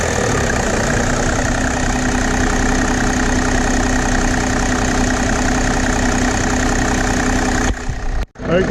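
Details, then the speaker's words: Mercedes W210 E300 with OM606 turbodiesel, running on Liqui Moly diesel purge: even, steady clatter with no misses or surging and a clean rhythm, sounding smoother than before the purge; a healthy, smooth-running diesel. "it sounds real smooth especially rpm like that sounds really good"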